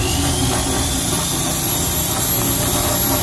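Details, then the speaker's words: Honda Beat FI scooter in for air filter and CVT service, before repair: a tinny, irregular but constant jingling rattle ("ngencreng") rides over the engine drone; loose, chattering CVT clutch. "filter sama CVT sekalian servis ini bunyinya ngencreng Mas Bro kemarin kita bunyikan dulu ya mas bro"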